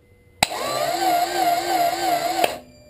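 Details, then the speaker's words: Acura Integra no-start: the starter gives a steady high whine for about two seconds but does not crank the engine. The battery is charged and 24V from two batteries was also tried. The fuel pump is audible, and the distributor was changed last winter. "we're battery is charged and we're going to do it again same deal battery the stutter is just whining"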